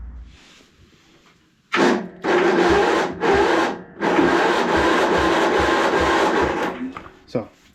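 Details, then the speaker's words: 1997 Craftsman II 30" rear-engine rider, 13.5 hp Tecumseh 143971300, bought with no-crank electrical fault: after jumpering key and safety switches, bursts of rapid churning cranking; starter now spins the engine normally. "there we go so we do have crank now so that's great"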